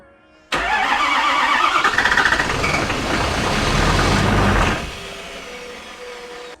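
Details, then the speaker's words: 2016 Ford F350 6.7 Powerstroke diesel on start: uneven lumpy cranking at roughly 220 pulses a minute before catching to a quieter idle; sounds rough, check engine light on, no oil pressure shown; cause unknown. "Then, if we go to do it again, key off, back on. Sounds mad. Definitely sounds mad."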